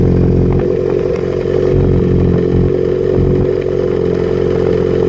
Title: Misfire possible fueling issue?